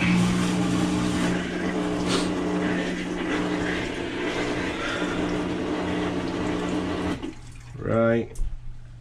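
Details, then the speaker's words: Kenmore top-load washer, model 110.20022013 made by Whirlpool, running the drain pump step of its diagnostic test; a steady low pump hum with water rushing through, even and free of rattles or grinding, then it cuts off. Drain pump working normally. "Here should be the drain pump."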